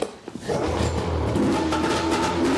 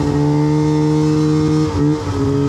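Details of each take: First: 2006 Arctic Cat M7 snowmobile, pull-started, had died while riding: catches and runs a few seconds with uneven wavering revs, then bogs and dies; stalling after start, owner suspects a leaky injector, cause not found. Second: 2006 Arctic Cat M7 two-stroke snowmobile running well before its breakdown: crisp, steady note that holds, dips briefly, then picks up cleanly.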